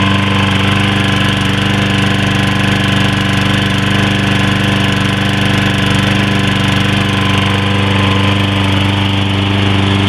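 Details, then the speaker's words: Troy-Bilt 21-inch push mower with 6.75 HP 190cc Briggs & Stratton engine, ReadyStart with no choke or primer, started first pull: steady even single-cylinder putter, no knocks, misses or surges; healthy. "so here we go with the tro build there we go that's good first time sounds"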